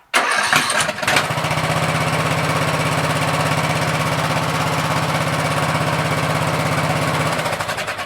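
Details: Troy-Bilt 17.5HP 42" lawn tractor, restart test after trying gas in the carburetor: brief crank, then it catches immediately and holds a smooth, even idle with no stumble or hunting; normal start and idle.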